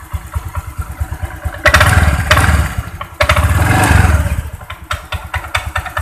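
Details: Honda Vario 125 CVT at idle/low rpm, noise from front CVT area: uneven low knocking clatter about three times a second that disappears when throttle is opened.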